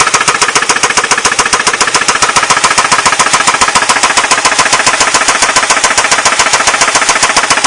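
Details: Ford Mondeo Mk3 1.8 petrol engine at idle: loud, steady metallic rattle repeating about three to four times a second, cause unknown.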